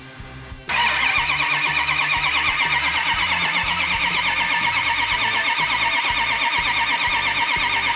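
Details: Numbers-matching 426 Hemi before first startup, cranked with ignition off until fuel reaches the carburetors and oil pressure builds: steady starter churn about three beats a second, no firing. Priming succeeded with fuel delivered.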